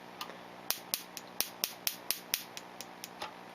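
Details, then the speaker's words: Ignition coil on a Solénotest coil tester: sharp, uneven snapping from the coil itself with missing sparks at the gap, caused by internal arcing; coil unusable in an engine. "le bruit vient de la bobine, il y a un arc interne qui se produit quelque part et qui claque, c'est ce que l'on entend."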